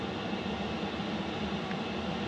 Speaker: So that's running full tilt. That's as noisy as it gets. It's pulling 3 amp hours on my batteries on high.